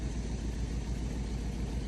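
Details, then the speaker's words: 1973 Chevy K5 Blazer with 350 V8, revived after about 30 years sitting, thermostat deleted after overheating, fuel added: deep, even V8 idle with steady low rumble and no skips or knocks; running smooth, normal idle. "I mean, she's running smooth. I mean, she sounds like a good old 350."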